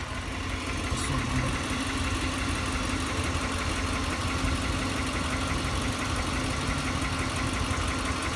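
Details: 2004 Lexus LX470 with 2UZ-FE V8 at idle: steady dull knock ticking in time with the engine over a constant hum; valves checked and needed no adjustment, source of engine knock still unknown.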